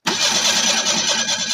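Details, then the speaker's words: 1987 Ford Ranger 2.3L four-cylinder 2WD after years of sitting, new starter and solenoid: steady fast cranking with regular compression pulses but no firing; crank no start, possibly out of fuel. "so let's see if it starts I don't think it will it might be out of fuel"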